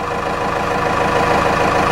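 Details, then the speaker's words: Cummins 4BT turbo diesel just after oil change, new fuel filter and washed air filter, oil pressure building: steady idle with even clatter and constant low rumble, no stumbling or hunting; sounds happier, normal idle. "can give it a little bit of throttle or pull up that oil holder she's current sounds happier got some fresh oil fresh fuel filter"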